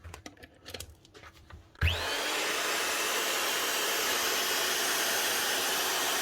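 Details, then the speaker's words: Hitachi G23SS grinder after rewiring a plug wrongly wired to earth that made it run at half speed: spins up to a steady even high whine, no rattle or grinding; normal running at full speed and power. "on that's what you want to hear on on Full Speed full power"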